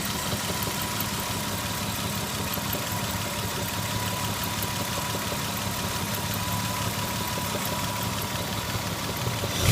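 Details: Lexus ES 300 petrol engine idling: a faint, regular knock over a steady hum and a thin whine; engine knocking.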